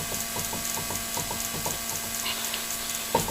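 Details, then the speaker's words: 2008 Suzuki SX4, passenger-side front wheel jacked up and rocked: light regular clunks, several a second, mostly top to bottom, little side to side; play from a failing front wheel bearing, replaced afterwards. "how how I can tell the wheel bearing's bad and right there that little bit of play there you can really hear it side to side there's a little bit but not much but uh top and bottom"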